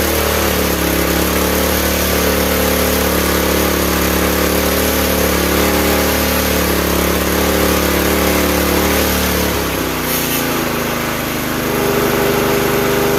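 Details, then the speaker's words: Campbell Hausfeld CE2000 5.5 HP gas wheelbarrow air compressor engine running with the belt off: a small single-cylinder engine runs steady and even with no knocks or misses, settling slightly near the end; sounds promising and healthy. "I would say at that point that sounds pretty promising."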